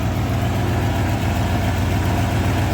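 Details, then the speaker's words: 1987 Ford F150 302 V8, automatic C6, 4x4, after correcting the firing order (wires had been on the HO 302 order) and replacing the cap and coil: deep idle with a slightly lumpy uneven beat, better than before but not clean; rough idle. "Okay, well, it's not running beautifully, but it is running better than before."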